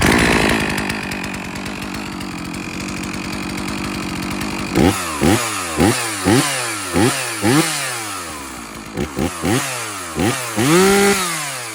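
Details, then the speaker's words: Stihl MS 460 Magnum chainsaw after rebuild (new top end, piston, ring, carburetor, muffler, fuel filter), already warm: revs cleanly in quick blips about two per second and returns to a steady idle; normal running, tuned a little rich. "It said a little rich."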